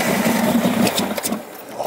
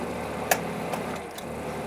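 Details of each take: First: 1971 Lamborghini Espada Series II V12 barn find on a non-standard fuel pump, throttle pumped: the starter churns and the engine coughs once, very nearly firing, then dies; it cranks but won't start, suspected slight flooding. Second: 1971 Lamborghini Espada Series II V12 barn find after spark plugs removed and refitted: cranks, catches within a second, settles into a quiet, smooth, even idle with no misfires or rattles; normal start and idle.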